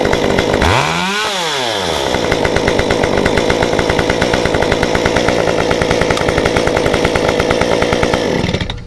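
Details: Modified Stihl 193T chainsaw with timing advance, muffler mod, limiters removed, 93 non-ethanol fuel, restarted hot after sitting about 20 minutes: pulls over, catches, revs up sharply, then a steady, even high-speed run without stumbling or stalling; hot restart normal.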